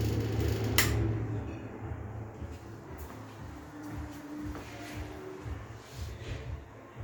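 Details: IXL Tastic ceiling exhaust fan with bad bearings running with a low, uneven rumble and faint hum; the Gemcell style 2 is dead.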